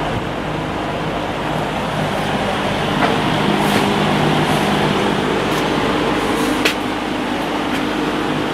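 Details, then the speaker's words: Vintage Penncrest (Lakewood) 50 box fan, 2.25 amp McMillan shaded-pole motor with winged stator, dusty and not yet cleaned or oiled, on high: steady air rush, constant low hum, no ticks or wobble, 2.36 A, 185 W, 0.66 power factor; normal running. "Alright, let's go up to high speed. Came up to speed without a problem. And we're at 2.36 amps, 185 watts."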